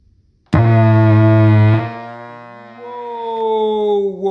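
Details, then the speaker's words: 25 W acoustic guitar amplifier switched on with nothing plugged in: a loud low hum bursts in, then a wavering multi-tone drone; internal fault later judged unrepairable. "Whoa. That ain't good. That ain't good. I don't know what the hell is the problem with this thing, but it just doesn't look good. That noise, as soon as I switch it on, nothing is plugged in."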